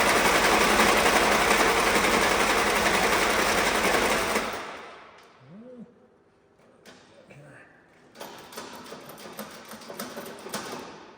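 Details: Old Willys Jeep that had been sitting, cranked after the electric fuel pump was switched on and fuel reached the filter, with the pedal pumped. Steady, rapid starter churn for about four seconds without firing; cranks, no start.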